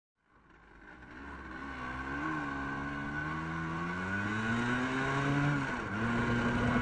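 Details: Vespa with Polini 177 (186cc longstroke), SI25 carb, BBS, Kheper V3 ignition, new Teninch CNC central-plug head, Teninch Honda CNC clutch: two-stroke revs flare above road speed in 0–100 km/h run (12.5 s); clutch slipping, springs too weak (145%), fix stronger springs.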